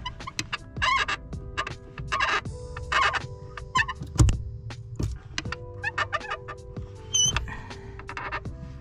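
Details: 2014 Subaru WRX hatchback clutch pedal: a sharp, chirping squeak on each pedal stroke, about once a second, from the clutch pedal linkage. Owner suspects the spring; fixed by applying lithium grease.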